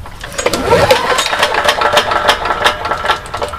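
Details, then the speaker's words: Briggs & Stratton engine on a Troy-Bilt generator, sitting for months, with no compression: light repeated ticking over the pull-over clatter, never firing, alternator turning. Source of the click unclear. Oil low and brownish. Click while cranking. "that click sound not quite sure what it is one can see the alternator is going around"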